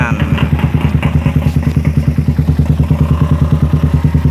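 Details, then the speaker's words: Suzuki Satria FU after removing the exhaust camshaft decompression: steady single-cylinder idle with even thumps about three per second; the earlier tek-tek ticking is gone. Normal idle. "Tadinya ini ada suara tek tek tek tek tek gitu ya di sini ini disini tadinya ada suara teketek Karena dekompresi sekarang nggak ada suara tek tek tek alias langsung"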